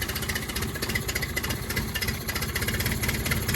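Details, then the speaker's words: Yamaha 9.9/15hp outboard, in neutral and just fired on choke after a new primer bulb replaced a faulty one that was starving fuel: uneven pulsing, hunting idle with extra throttle. Rough running; the owner suspects the carburettor ran dry earlier. "Just giving it a bit more throttle. I think it's because I ran the carburetor dry earlier."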